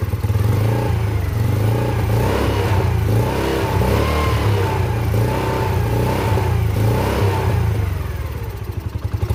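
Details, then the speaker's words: Yamasaki YM50 small engine after carburetor cleaning and fresh fuel, in neutral, choke off: revs up and settles back in even pulses, pulling cleanly without stumbling or popping; running as it should. "Gas, it doesn't have much in it. It's running."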